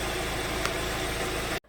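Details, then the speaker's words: 2014 Hyundai Sonata 2.4 with flashing MIL, power loss and code P1326 excessive knock activity: smooth even idle hum, no ticking or knocking, bottom end sounds healthy; knock sensor EMI from injector circuits suspected, aftermarket oil filter fitted. "I never heard anything when I drove it. I don't hear any noises in this engine,"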